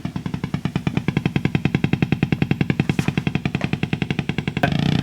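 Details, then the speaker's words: Marshall JTM45 MkII model 2245 valve guitar amp, a couple of minutes after switch-on, motorboating with a steady low thumping about eight times a second, popping and spitting, unaffected by controls. "okay it's only been on for a couple of minutes since the last and you can hear it's motorboating that's called motor boating for obvious reasons sounds like a motorboat putter in the long"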